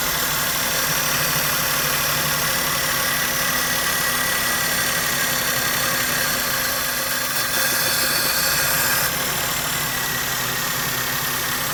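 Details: Maruti Suzuki K-series engine at idle: lumpy, uneven beat that keeps stumbling; misfire with vibration, pickup loss and mileage drop, addressed by replacing ignition coil and spark plug and checking the wiring harness.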